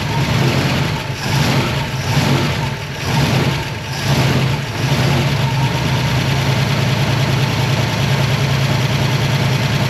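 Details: Long-abandoned small block Chevy V8, first start: lopes and surges unevenly, barely catching for about ten seconds, can't hold idle; tick heard, suspected valve train or alternator.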